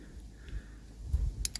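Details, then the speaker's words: Relay from a Holden Tigra convertible that would not start, bench tested with power on pins 85 and 86: two crisp clicks as the relay pulls in; relay switching normally. "so that's the relay clicking in so that means that's one test for the Relay"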